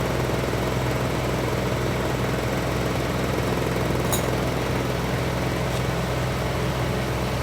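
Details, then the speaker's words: Privileg 5140 washing machine drum spin test with PCB fitted, soapy water splashed on connections; steady motor hum, low drone and faint rhythmic shake, a bit of vibration but not much, normal spin. "So just as a test, let's throw in the PCB from this washing machine. You get a bit of vibration there, but not much."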